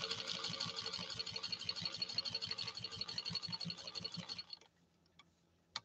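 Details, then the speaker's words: Restored 1949 Canadian Singer 15-91 with potted motor, sewing acrylic fiber and rubberized material at about 15–20 stitches per inch. A steady hum and even stitch clatter as it pulls firmly through, then stops cleanly. Working hard but healthy. "can you hear the machine working though it's actually working harder to execute the sewing on this acrylic fiber and rubberized material than it has on any other sew-off that we've done during this live stream"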